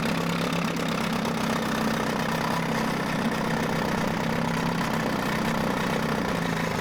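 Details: Mercury 9.8 hp 110 outboard after clearing a clog in the pee hole and adjusting idle: a smooth, steady low burble with an even beat and no misses or knocks. It is a normal, clean idle.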